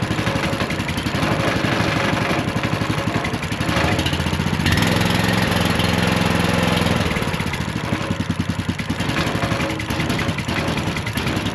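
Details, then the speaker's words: Ridgid RD80770 3800 PSI pressure washer, long unused, fresh oil and gas, choke on, pump dry: small single-cylinder catches on the pull and settles into steady even chug, no misses; kill switch seemed not working. "Did fire right up. Um whether or not it's going to run good or not is uh to be determined"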